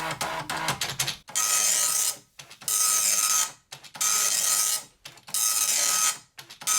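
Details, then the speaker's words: Amstrad DMP-2000 dot matrix printer, about 30 years old, self-test started by holding line feed at power-on: rapid buzzing print passes about 1 s long with short pauses between lines, even and regular; print mechanism works fine, ribbon worn. "it's got a self-test, so if you power it off, power it back on again and keep and hold line feed pressed down, it does a self-print."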